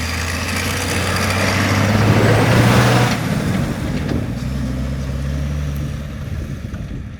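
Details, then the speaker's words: Rare Land Rover-based Esarco 8x8 truck with old VM diesel, moving for the first time in 25 years, diffs not yet fully free: deep, steady drone swells as it pulls away and settles, no knocks or misses. Normal running under load. "sounds awesome didn't it got a headlight on man"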